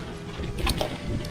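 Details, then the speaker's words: Braaap e-bike on rough trail at Red Hill MTB park, second full-line run in mode 3 at 81% battery: irregular metallic clatter as the chain slaps about over bumps; rider says the chain derailleur needs changing. "Hopefully you guys can hear it slapping about."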